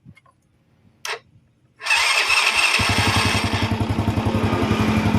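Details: Honda Astrea Grand motorcycle after fitting a new CDI, electric start: short starter whirr, engine fires at once and settles into an even steady idle; hard electric starting fixed.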